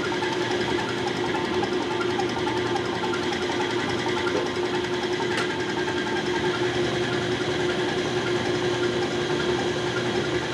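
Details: CAT 3406B injection pump from a 1987 Kenworth K100, driven on a test bench: fast, even mechanical whir at one pitch without skips or knocks; all outputs matching, running smooth and normal.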